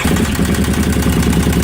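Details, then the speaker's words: 2005 carbureted Kawasaki Brute Force ATV after swapping out a stator meant for a 2012 fuel-injected model, which stopped it running: strong, even low V-twin beat at steady idle with no misses, knocks or stumbles; engine runs normally. "[Music] well there you go guys it uh it did fire up so that was it that was the problem because it was made for a different circuit and it wouldn't want to run right"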